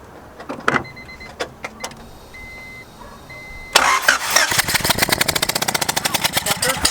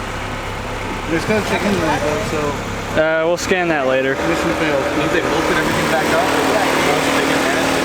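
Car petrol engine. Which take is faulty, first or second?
first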